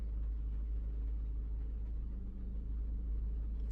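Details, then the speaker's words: 2021 Maruti Brezza petrol, 50,000 km, after engine overhaul for suspected bent connecting rod: very faint, smooth low hum with no knocks, shakes or rattles, even the panel that used to vibrate stays still; quiet, healthy idle. "नहीं तो इसकी पत्ती vibration करने लगती है यह तक भी नहीं कर रहा मतलब इतना शांत हो गया"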